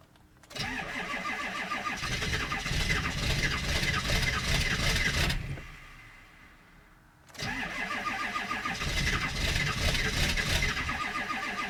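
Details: 7.3 diesel, hard cold start at 15°F unplugged; long cranking for several seconds, a pause, then more cranking before it finally catches.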